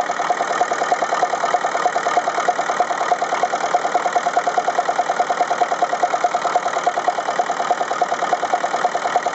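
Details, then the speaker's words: Ferguson TEF-20 diesel tractor just started from cold, idling with a steady lumpy beat, about three pulses a second. Cylinder 3 is not firing, confirmed by laser thermometer on the exhaust stubs; injector nozzle to be replaced. "okay so that was pretty conclusive proof that this number three cylinder just isn't running the other three are firing fine"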